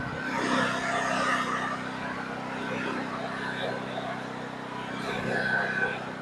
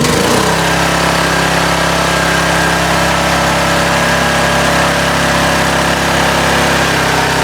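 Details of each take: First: Titan Industrial generator about 20 years old, stored unused six to eight months, after cleaning and no-start service: steady, even engine note with a smooth low drone, no misses or knocks; running cleanly and quietly. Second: Titan industrial generator, about 20 years old, single-cylinder engine stored in a barn and unrun for six to eight months, running with air cleaner (breather) removed: steady, loud run with harsh, raspy intake roar; loud intake noise.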